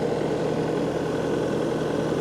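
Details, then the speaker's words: Bobcat T300 skid steer diesel, running after work on hydraulic and electrical issues: smooth even idle with steady low drone, no knocks, misses or smoke; normal idle, hydraulic issue still unresolved. "Just got to get her hydraulic issue figured out. I think we'll have a nice Bobcat. Motor sounds good. No smoke."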